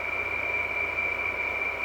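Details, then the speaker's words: 2003 Frigidaire Electrolux air conditioner, run again after three to four years idle and low on refrigerant: steady piercing high whine over airflow hiss from the fan motor's worn bearings. "but if you hear that noise because since the uh obviously the fan motors bearings are shot"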